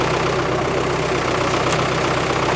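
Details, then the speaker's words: Isuzu 4BD1T turbo diesel in a Land Rover, cold at -4°C just after start, only one silencer fitted: steady low clatter with an even pulse, no misses or knocks, fairly quiet; normal cold running. "it's not bad for noise is it considering it's only got one silencer on should I rev it up yeah"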